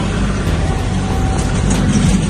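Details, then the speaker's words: Limo on a cold start in snow with its exhaust previously broken: loud, deep, blatting raw rumble at idle, far louder than a sealed system; exhaust leak from the broken exhaust. "forgot we broke the exhaust on this thing. Yeah, that sounds funny."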